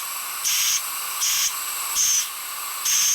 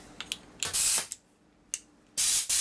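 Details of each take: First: Compressed air (about 150 psi) blown through a passage of a cleaned carburetor on a 2001 Gilroy Indian race bike: six thin, high hissing puffs, low volume; passage plugged, restricted flow. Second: Compressed air through a passage of a cleaned carburetor on a 2001 Gilroy Indian race bike, using a bigger nozzle tip after the passage sounded plugged: short hard, strong hiss bursts; airflow now clear.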